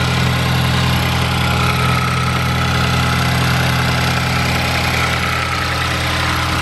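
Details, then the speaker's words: Ford Focus ST (Mk3) with newly built engine after stock motor failed, catless downpipe with resonator, first start, very cold: even, slightly raised idle, steady low drone, no knocks or ticks; normal cold start idle. "all right let's do this startup so right now letting it warm up so it's really cold cold start"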